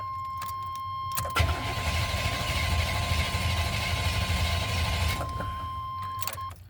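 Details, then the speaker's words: 1990 Chevy K1500 5.7 L V8: strong, even cranking at about two turns a second with no firing. Engine spins freely but won't start; starter and battery ruled out, fuel to be checked next. "all right that checks out well with a strong crank like that we can rule out the starter and we can rule out the battery"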